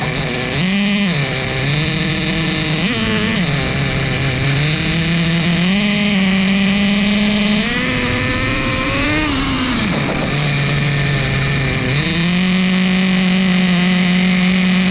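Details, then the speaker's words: Repaired vintage 2000 Duratrax Nitro Quake RC monster truck, TORQ 21 Big Block nitro engine, preliminary first start, rich tune: loud buzz rising and falling with throttle, slightly blubbery at low end; running rich but healthy. "We got fuel, and then we're gonna run rich and loud. Let's fire it up."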